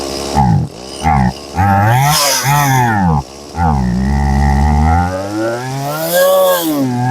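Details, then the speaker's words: Stihl MS180C two-stroke chainsaw that dies and won't rev, throttle held steady: revs swing up and down and nearly die out; compression seems fine; suspected carburetor or fuel starvation, bad fuel line later replaced. "If it's not clear, I'm the one I'm holding the throttle steady and it's doing the up and down. Okay, so definitely probably carburetor or fuel starvation issue with this one."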